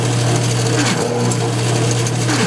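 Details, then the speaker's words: GM CS130D/AD244 alternator on tester, brush energized to run full output: harsh steady low growl with buzzy edge; bad bridge rectifier. "you're going to hear what a bad bridge rectifier sounds like. You hear that growling sound? You hear that horrible sound? A real growling sound."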